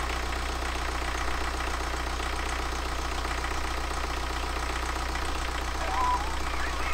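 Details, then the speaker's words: BMW N47 diesel refitted after a broken timing chain, first start with no antifreeze in: steady, even diesel clatter at idle with a smooth low rumble, no misses, knocks or vibration; idling healthily. "run baby run I've got no antifreezer at a minute so we can't run it for too long but oh what about that sweet as a nut as well look at it no vibration please"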